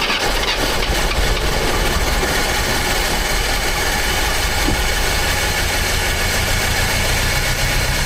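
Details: Old "800" truck engine, recently revived after the distributor was moved one tooth toward #1: steady low rumble with an even, unbroken beat and no knocks or misses. Normal idle.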